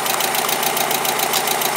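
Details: Mazda Miata started after months sitting and previous no-start cranking: quick even ticking about six to seven per second over a rough idle, plus an electrical noise; source unknown; engine ticking at idle.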